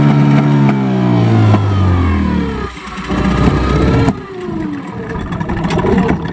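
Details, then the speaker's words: Yamaha 15 hp outboard, hard to start and powerless: revs briefly, then sputters and stumbles as throttle opens, nearly dying twice; caused by stuck piston rings and a dirty, clogged exhaust. "sekarang kita langsung saja tes mesinnya, lalu kita dengar apakah mesin ini bunyi brebet kemudian tidak bisa naik gas, karena mesin ini dibawa tuannya sama saya lagi untuk diperbaiki."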